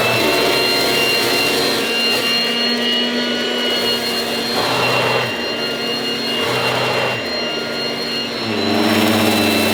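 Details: 1980s mains-powered Goblin Roto handheld vacuum cleaner, rotating agitator brush working on dirt: loud, high rushing whine with a steady motor tone dipping slightly as the brush meets dirt; very noisy but working normally.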